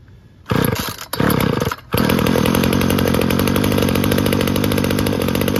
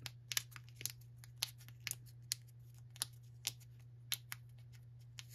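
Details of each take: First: Weed Eater GTI 19 two-stroke string trimmer, about 33 years old, from an estate cleanout: it catches on choke after a couple of pulls and settles into a steady buzzing run with blips. Normal running. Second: Weed Eater GTI 19 gas line trimmer carburettor, estate-cleanout unit: metering diaphragm flexed by hand gives dry, irregular crackles about twice a second over a faint hum; it should be soft but has gone stiff and needs replacing.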